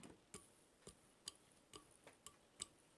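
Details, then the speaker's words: Fan in a Ryzen RTX 2070 PC build in an Aerocool Splinter Duo case, with a damaged, broken-off hub that doesn't spin right. Light, uneven ticks about twice a second and a rough sound as it turns: damaged fan hub noise. "there's definitely a kind of like a roughness to it but in fact that's the best yeah it ain't right"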